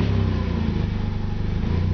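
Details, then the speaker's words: Mazda RX-8 with a brand-new rotary engine at operating temperature: idle pulses up and down in an uneven burble, and it is rough even cold. Header-back exhaust and downpipe fitted; Mazda suggests computer or exhaust; code thrown. Rough surging idle. "I don't have the cob with me so I don't know exactly how warm that is but even at a cold idle it sounds kind of rough"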